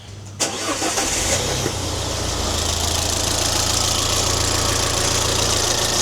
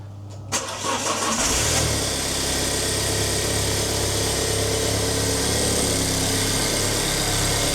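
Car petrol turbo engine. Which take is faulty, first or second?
first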